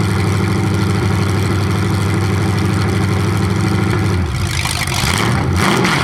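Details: 427 big-block Chevy V8 on an engine run stand, first fire after sitting a long time; distributor timing just adjusted, owner thinks the wrong way. Loud lumpy but steady idle with even pulses, clean throttle blips without misses; normal idle and revving.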